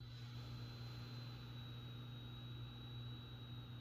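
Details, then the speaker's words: Cooler Master mainboard case for Framework laptop board: steady low fan hum with thin, constant high-pitched whistle, mostly at idle fan speeds and better when fans ramp up; fan whistle from the case. "The Cooler Master case, though, adds a little something extra in the form of a high-pitched whistle. The worst part of it is that the whistle is mostly present at idle speeds"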